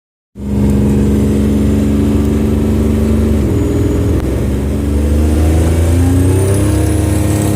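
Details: Buick Grand National turbo engine under boost: rising tones with a rough raspy puffing over the engine note; owner suspects an exhaust leak under boost.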